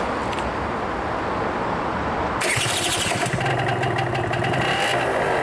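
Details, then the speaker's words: 2015 Vespa Primavera 50cc two-stroke scooter at about 600–700 km, running without issues: short crank, catches at once and settles into a quick, crisp, buzzing idle; normal cold start. "There we have our two-stroke engine."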